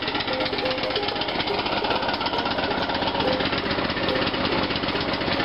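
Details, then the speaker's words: Free abandoned lawn mower left sitting in a yard with flat tires, running after long storage once the spark plug was reinstalled: small single-cylinder pops steadily at a fast even beat, slightly ragged, burning off fluid previously put in the exhaust. "Burning off the exhaust pipe that I filled on there a while ago. Called my neighbor, let him hear that thing run."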